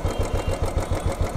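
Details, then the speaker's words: Royal Enfield Classic 350 carburettor engine with a steady single-cylinder idle, even low thumps and no tappet ticking, after the idle screw was adjusted from a cold-start high idle; normal, correctly set idle. "This is a perfect setting right now. So, make sure you make the engine not that low that you hear a lot of tid noise. Make sure that you only hear the thumb what you're hearing right now and the bike is good to go."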